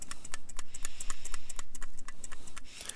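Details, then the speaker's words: Asiahorse fan controller box from a PC build, shaken by hand: light uneven ticking about four a second as something loose rattles inside the box. "You can hear something rattling around in that damn thing. Complete junk."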